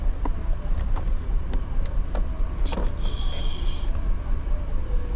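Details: 2015 GMC Yukon 6.2 V8, misfiring after a fuel fill-up, scan data shows cylinder 3 misfire (P0303): low, uneven idle with irregular stumble and loose ticks, single-cylinder misfire at idle.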